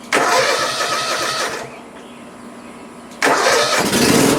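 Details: Cub Cadet ZT1 Ultima zero-turn mower: engine catches and runs briefly, then sags and dies before firing again; a shorted key switch is cutting power to the fuel solenoid so fuel cannot flow.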